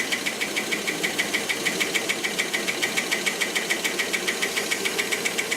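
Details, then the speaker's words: Rolls-Royce Silver Cloud III with SU carburettors, being diagnosed for a fail-to-proceed problem: sharp light ticking about three or four per second that speeds up with revs, running still a little too rich; top-end tap of unknown cause. "Hear that tapping?"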